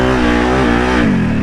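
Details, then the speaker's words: Big Can-Am Outlander ATV being revived after being swamped and sunk in water; fuel lines were pulled to pump out water, then it was warmed up and revved. Strong, clean rev with no stumble, misfire or rattle; normal revving. "that sounds phenomenal doesn't sound like anything's wrong it's just smokering hot oh my gosh that is ridic ridiculous"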